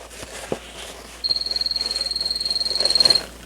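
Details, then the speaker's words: Shoe-shaped telephone, make unknown and possibly homemade, with a suspected cheap piezo ringer. A thin high buzzing ring pulsing about four times a second, faint and muffled. Too quiet; the ringer may need replacing or may be buried in cloth. "Sounds like it's getting a little bit louder, maybe. Probably should be louder than that, though."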